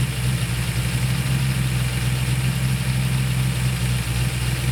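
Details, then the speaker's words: V8 with carburetor: fast steady idle with constant deep drone, no speed drop even with idle screw all the way out; vacuum at timed spark port, owner suspects accelerator pedal holding throttle open. "that's what I'm talking about is that the time spark Port has vacuum present which usually means that the throttle is open but the idle screw is all the way out"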